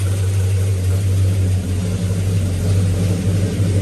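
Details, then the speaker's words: Circa-1970 Pontiac GTO V8 with new 2.5-inch aluminized exhaust, started after reorienting the spark plugs: deep, steady, lumpy but even idle with no misses or knocks; timing then checked at about 10–12°. "exhaust oh yeah sounds good so let's check the timing and see what that is"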